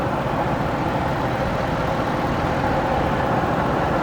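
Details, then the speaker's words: 2010 Ford F150 with 5.4 Triton V8, heard with the hood up: loud steady idle, even, with no knocks or ticks; exhaust slightly loud, believed to lack a muffler but cat still fitted; normal idle. "Motor sounds good. Matt did, when we were under there, he noticed that the exhaust was a little bit louder."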